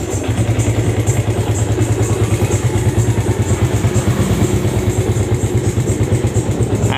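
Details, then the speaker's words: Yamaha Vega ZR single, kick-started, smoking white with rough front-engine noise: idles rough and uneven with a loose, lumpy top-end rattle; suspected loose piston or camshaft end play. "Ia juga suara ngeledek di bagian dalam ini suaranya sih mirip di bagian Hai Kayak dibagian depan yaitu seputar piston mungkin sudah terlalu longgar tetapi juga bisa karena noken as sudah mulai kocak"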